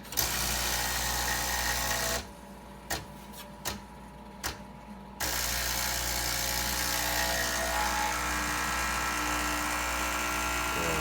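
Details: Breville 800ESXL with replaced ULKA EFP5 vibratory pump (old one sputtered), pulling a shot while warming: strong even buzz, brief pause with clicks, resumes; good 15 bar pressure, pouring nicely.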